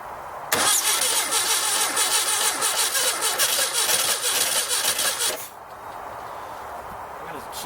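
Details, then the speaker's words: 1969 Baja Bug after sitting 29 years: cranking with uneven, ragged firing that never catches cleanly; two spark plug wires found swapped against the firing order on the distributor cap; misfire. "Sounds like it's not firing quite right. I might need to stop and look up the firing order on that distributor cap. Make sure those wires are in the correct area."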